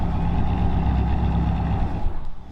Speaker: by the end of the trip, this thing takes hills like it's nothing, and it's just such a time capsule, guys.